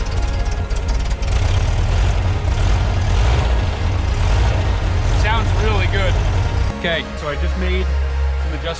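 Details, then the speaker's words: 1978 VW Type II Bus flat-four, rebuilt after sitting 20+ years, runs with full exhaust and heat shield fitted, timing and vacuum lines adjusted; deep, steady, even idle without stumbling; running normally. "Sounds so good and stays running. I can't believe it."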